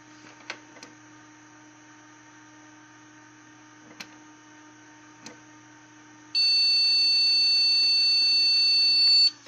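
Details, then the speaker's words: PC powered on with all RAM sticks removed; one long unbroken beep of about three seconds from the BIOS signals missing memory, with a matching code shown on a KQPI4 POST diagnostic card. "sentiamo questo beep e il BIOS da solo che indica assenza della memoria RAM e vediamo anche il codice. Che teoricamente dovrebbe significare che non c'è la memoria."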